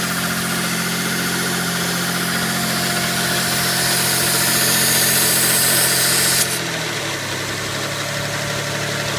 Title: 92 GTO TT vacuum leak and lifter tick